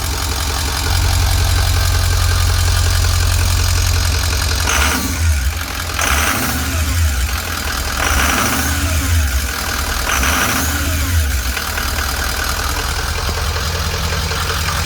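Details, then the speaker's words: 2005 Ford E450, 6.0L Power Stroke turbo diesel, 152,318 miles, right after start: deep, even, steady idle with no knocks, misses or hunting. Good oil pressure, high steady idle, no check engine lights. "Got good oil pressure, high steady idle."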